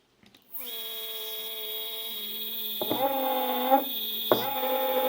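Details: Two stepper motors in parallel at 4 A peak, speed raised toward 2000: harsh buzzing whine jumping in pitch; one motor then stopped turning; owner suspects back EMF or one motor upsetting controller, not confirmed.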